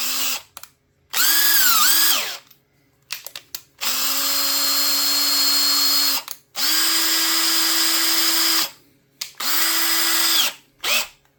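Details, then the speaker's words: Makita 18V drill that was running slow and smoking, after repair: several clean bursts of steady high whine that spins up and settles evenly, no grinding or stutter; runs normally again. "Now that it's working, you'd think it'd have a better motor in, but it's not."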